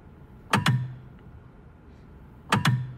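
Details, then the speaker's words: Tesla (same sound on Model S, X and Y), quiet and parked. Two sharp double clunks about two seconds apart are the high-voltage battery contactors opening to save energy, also heard during software updates: normal contactor clunk. "쿵 하는 소리 가 비슷하네 요 . 이는 에너지 절약 을 위해 고전압 배터리 접촉기 가 열리는 현상 이라 고 합니다 . 그러니까 , 이 소리 는 회로 가 물리 적 으로 분리 되는 소리 라고 할 수 있겠죠 ."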